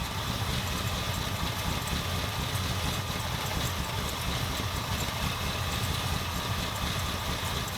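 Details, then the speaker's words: 1977 Ford F250 351M V8, Duraspark II, carb idle mixture screws just over 2 1/4 turns out: steady, even burble at a slightly low idle with no stumbles or misses. Normal idle. "So it runs. Hopefully again it'll start. That would suck if it didn't start all of a sudden. Idling a little low, but it's not too bad."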